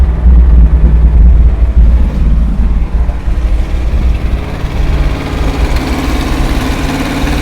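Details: 1968 International 1500C dump truck, V8 possibly a 345, first start after sitting about 20 years: deep loping idle, loud at first, then settling into a steadier low rumble; engine running on its own again.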